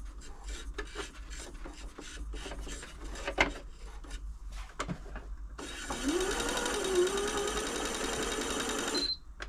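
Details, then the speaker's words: Janome Atelier 6 sewing machine after refitting the needle plate: even whirr with a faint scraping rub from about six seconds as the plate rubs. Releasing and repositioning the plate stopped the rubbing. "rubbing there I don't like what I'm going to do release the plate off run the machine just get that into position it's not it's not rubbing now"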